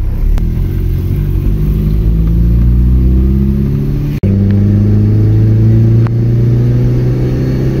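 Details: Mitsubishi Lancer GTI neo-classic project car accelerating: engine pulls smoothly, pitch climbing through each gear with clean breaks at shifts, no knocks or rough spots; owner calls it smooth, healthy running.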